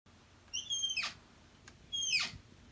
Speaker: I'm gonna show you how to get rid of that squeak everybody knows squeaky doors are the most annoying thing e